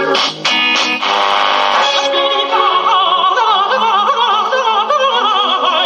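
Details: Kriesler 11-20 "Plum Pudding" valve radio, final test after repairing motorboating and other faults and restringing the dial. Music comes through clean and full at good volume, with no hum, putt-putt or crackle; normal playback.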